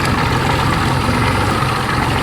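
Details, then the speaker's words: 1992 Johnson 60 hp outboard after restoration, throttled down on the water: steady, even, clean throaty idle with no spitting, sputtering or popping, settling at the correct idle speed; normal idle. "You listen and you hear that nice, clean, clear, throaty, no spitting, sputtering, popping, parking. You know she good."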